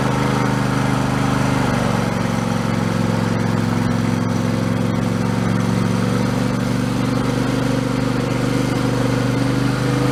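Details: Husqvarna YTH2454 mower, 24 hp Intek V-twin, after carburetor rebuild with a kit: smooth even mid-pitched drone at steady speed, no misses, surging or knocks; engine healthy, declared fixed.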